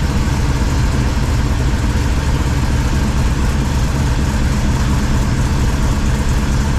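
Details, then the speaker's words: 1978 squarebody V8 with full roller rockers, first start after new 3-inch exhaust and Flow Monster mufflers: deep, even burble at idle with no misfire or stumble, normal apart from slight valve train noise at the front. "I let that air out just a minute uh yeah seems to be running fine if you noticed when I walked around front there's a little valve train noise but if anybody's everever run full roller rockers they have a little bit of noise"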